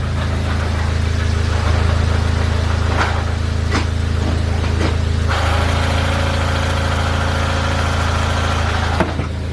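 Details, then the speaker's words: VW Golf R with a South Bend Stage 3 clutch fitted about a year and 30,000 miles earlier: a deep steady idle hum with loose metallic clatters about four a second; clutch disc suspected to have blown apart. "I'm 99% sure that his clutch disc blew up."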